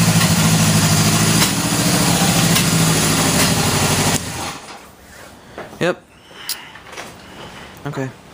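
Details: 1977 Honda CB750K four-cylinder, carburetors sat six years with gas in them, batteries freshly charged: even, smooth burble at idle for a few seconds before shutting off, running cleanly with no misses or knocks; normal idle.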